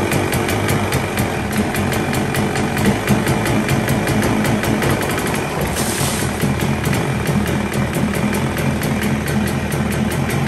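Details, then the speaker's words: 1977 Evinrude 35 hp two-cylinder two-stroke outboard, ignition timing set manually, first start on fuel-filled carb: even, rapid popping at a steady idle with no misses or surging; starts, runs, holds a good idle, not yet tested under load. "but the fact that it starts it runs it holds a good Idol mostly you can't really tell how an engine's running until it's under load"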